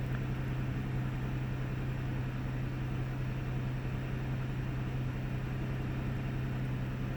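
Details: 1998 Ford Taurus SE OHV V6 at idle, hood open: low steady hum with a slightly uneven, loping beat and faint stumbles. Occasional miss with mild rpm fluctuation; earlier swung 400-1000 rpm without warning lights. Cause not yet found.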